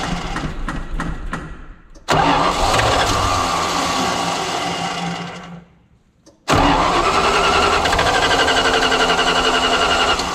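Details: Tucker Sno-Cat tow truck that won't start again, being started to trace a hydraulic leak at a valve. The starter turns the engine over about four beats a second in repeated long bursts, but it never runs. Cranks but won't start.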